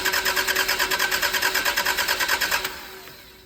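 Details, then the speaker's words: Abandoned 1990s barn-find car, stopped running 10 years ago and left sitting, no keys: even cranking at just over two beats per second with starter whine and no firing at all, then stops; cranks but won't start, cause not yet known. "No magic happening."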